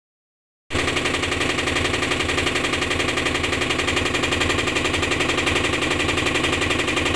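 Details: Top-load washing machine: rapid, fairly regular rattling clatter about four hits a second, steady throughout; abnormal mechanical noise, cause not evident.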